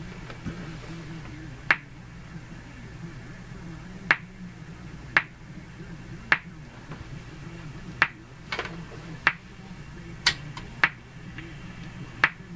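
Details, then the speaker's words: Hammarlund HQ-180 receiver, still working through the fault: about ten sharp, irregular pops in thirteen seconds over quiet hiss. Intermittent popping in the audio output; owner suspects the AVC system, not confirmed. "oh there it goes again pop pop pop pop usually has something to do with the ABC"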